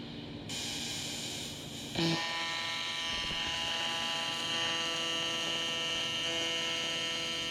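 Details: A steady, even high-pitched buzz with a constant hum underneath, starting two seconds in, from a Miller Dynasty 300DX TIG welding aluminum during beginner practice: a normal, stable AC TIG arc.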